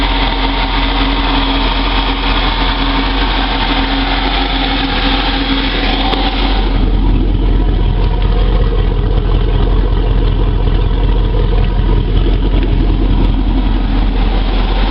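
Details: Moomba boat engine after exhaust leak repair: deep, even drone rising slightly with a touch of throttle and no ticking from the exhaust inside the boat; runs clean and healthy.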